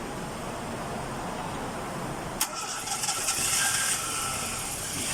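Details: Nissan Sunny after repair of crank-but-no-start fault, quiet then sharp crank catching at about two and a half seconds and settling to steady idle; normal start.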